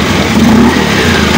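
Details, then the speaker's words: Honda Beat scooter after CVT service (rollers, roller housing and boss replaced) to cure rough CVT noise: steady, smooth, even whir like a sewing machine, no knocking from the belt drive; normal CVT sound after repair. "oke kita dengerin suaranya setelah terpasang ya Nih udah kayak mesin jahit suaranya halus teman-teman di motor"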